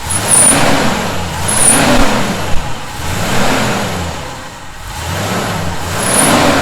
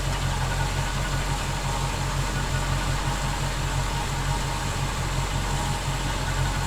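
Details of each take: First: 1971 Chevy C10 pickup revved repeatedly: thin high whistle appears at top of each rev then fades; definite whistling noise, cause unknown. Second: 1971 Chevy C10 pickup project truck idling while the charging system is checked (14.6 V, battery slightly low); steady even low rumble with no knocks or misses, smooth healthy idle after an earlier whistling noise.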